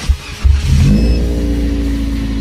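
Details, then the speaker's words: Fuel-injected car, cold start in neutral with the handbrake on and coolant at 40°C. It cranks, catches and flares to a fast idle of about 1500 rpm that gradually eases down; a normal cold start. "rpm-nya langsung tinggi ya teman-teman di 1500 tadi ini lama-kelamaan turun"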